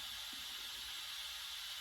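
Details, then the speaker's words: GMC General truck with Detroit diesel, air brake system after new Bendix governor fitted (previously wouldn't exceed 40 psi): thin, steady high hiss, no engine running, from one small air leak the owner may fix. "So yeah, there's one little leak that's, I might see if I can get that one taken care of, because I mean, not that I'll be able to hear it over the Detroit"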